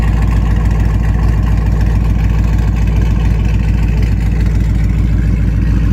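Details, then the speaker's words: Dodge Challenger R/T 5.7 V8 on first start after installing BBK long-tube headers: a rough idle with a sharp puffing tick on each exhaust pulse, about three a second, from an exhaust leak at clamps that still need fixing; new clamps were later fitted. "oh yeah exhaust leak alright gotta fix those clamps I can hear it till tomorrow clamps got to be fixed first just straight exhaust leak"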